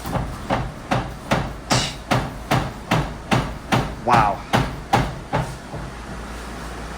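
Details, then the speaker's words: Dodge Charger sitting too low on coilovers, bounced by hand: sharp hollow clunks, two or three per second, as the upper control arm strikes the unibody; not drivable until it is raised. "that's the upper control arm smacking on the unibody."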